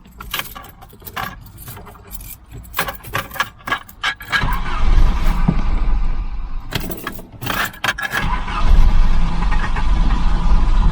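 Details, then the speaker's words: 1988 Volvo 740 GL, 2.3 B230F, barn find, after a new fuel pump and filter: it starts into a rough, stumbling run. Owner thinks it's on two cylinders, possibly from debris picked up from the fuel. Misfire. "now she's running on two cylinders i think"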